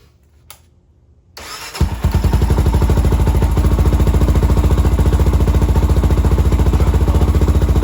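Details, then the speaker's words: 2007 Honda 400EX that died when throttled, after carb work and swapping a 120 main jet for the 155; fires after a pause and settles into a steady, even low thump with no stumbling, running good. "much better all right guys just going to wrap this one up um so obviously we got the bike running good now"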